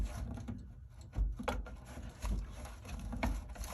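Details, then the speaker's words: GE dryer timer after repair of a stuck knob (press start, nothing): quiet rubbing with irregular distinct clicks as the knob turns; timer now turns freely and engages normally. "Turning nicely. Hear that? Yep, she's turning."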